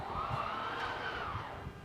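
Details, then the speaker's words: Jay Flight travel trailer Schwintek slide-out running out: steady mid-pitched electric hum with light thumps from the room moving; normal motor sound, unlike the loud clutch clicking of other slide types. "Where the Schwintek, when you take it out, it'll make kind of a humming noise as it's operating."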